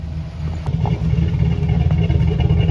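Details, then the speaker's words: 2008 Chevy Silverado 4x4 5.3 V8, after low-oil-pressure fix (pickup tube O-ring, modified relief valve): deep lumpy choppy idle from the cam, no ticking on top; lifters quiet, much better than before. "That's a lot better than lifters staying pumped up at idle."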